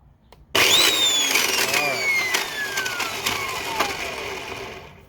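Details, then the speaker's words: Old Black and Decker U-144 belt sander: motor spins up, then rough gritty grinding with clicking as it winds down; suspected damaged gearbox gears causing the grinding noise. "i'll do that one more time just to show you what's going on but that definitely sounds like some sort of grinding"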